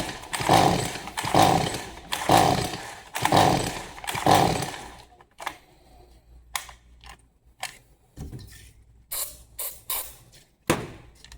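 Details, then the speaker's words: Stihl MS 180C no-start saw on starting fluid: five ragged bursts about a second apart, each catching briefly then fading; fires on fluid but won't keep running. Gummed-up carburetor from old fuel suspected. "All right, so it will start on starting fluid. Um more than likely it's a gummed up carburetor."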